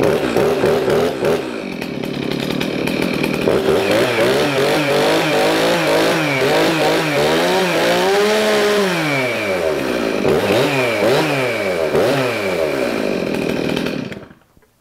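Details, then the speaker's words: Stihl MS391 chainsaw after start, choke off and set to high idle: revs climb and fall smoothly through throttle blips with a clean crisp two-stroke note, no missing, running normally, before muffler mod. "Once you hear it try to run on its own, you want to take that off a choke. Just click it up in the high idle."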